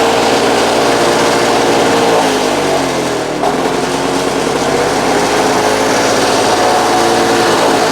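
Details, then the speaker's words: Vintage Victa Mustang two-stroke alloy mower after carb kit, new spark plug and cleaning, primed four times: starts first pull, crisp buzzy note settling evenly; normal running. "Oh, hey! First pull, folks. First pull from the Mustang."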